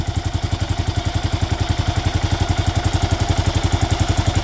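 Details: Kawasaki KLR650 at warm idle, about 220 beats a minute: a light top-end tick that comes and goes, quiet when cold; blamed on the KACR automatic compression release, persisting after a new head following running without oil.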